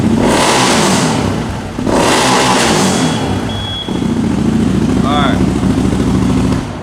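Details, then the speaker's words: 2021 CFMOTO CForce 800 ATV revved hard and breaking rear tires loose: engine surges toward rev limiter and a thin high beep sounds at top of each rev; rev limiter warning beeper. "so you heard when it revs up and anytime i break the rear tires loose it ramps up to the rpm alarm high alarm and makes that beeper go off"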